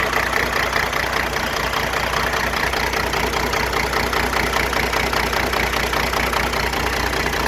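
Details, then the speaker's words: Diesel idling with valve covers off, injector actuators probed with a hard-handled screwdriver: sharp regular knock about 150 a minute over the idle; injector number 2 over-fuelling, causing the popping and pinging. "Oh yeah, that one's got a hard hit. Real hard hit. That's where my popping and pinging's coming from. Injector number 2."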